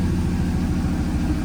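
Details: 1937 Nash coupe with 6.0 Vortec V8 on Holley Terminator, just switched from stock 26 to 58 lb/hr EV6 injectors: warm-up idle near 800 rpm with a deep, lumpy, stumbling beat. One bank is dropping out and the engine may still be running a little rich.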